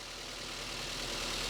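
Engine catches and settles into a smooth, steady idle with no knocks or misses, a normal run after starting.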